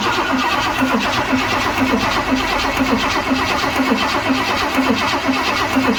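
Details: 1978 Ford F100 with a Cleveland V8, first start attempt in 6 years: steady, even, slow cranking that never catches. Cause not confirmed; a fuel line problem is suspected, and fuel poured into the carburetor is planned.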